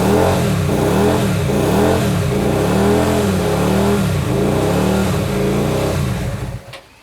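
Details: Hyosung GT125RC first start after two years with ultrasonically cleaned carbs: revs rise and fall in slow waves about once a second, then the engine dies; it hunts with the throttle fully closed and no idle set.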